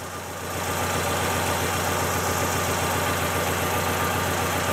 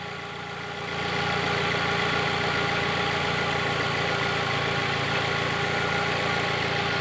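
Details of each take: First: Fiat Palio petrol engine that began misfiring cold days earlier, idling with an uneven loping beat: one dead cylinder not contributing, no spark jumping from loose leads; owner suspects a clogged injector or burnt spark plug. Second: Fiat Palio after fitting a new ignition coil; steady, even idle with a smooth regular beat and no stumble, all cylinders including number three now firing.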